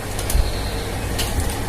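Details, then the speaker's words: JMK amplifier, no signal playing: steady low hum; a 1000 µF 25 V power-supply filter capacitor for the tone control has a broken leg, with the negative rail measuring only about 17 V. "Oke, suara masih mengeluarkan dengungan. Jadi di sini saya ketemu permasalahannya."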